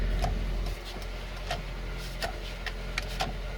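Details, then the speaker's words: Toyota Starlet at idle: steady low hum sags slightly when the rear demister switches on, then holds even; normal small idle dip under electrical load, demister working. "they read the mister and you can hear the Rev sink a little bit when that comes on so it's not out working"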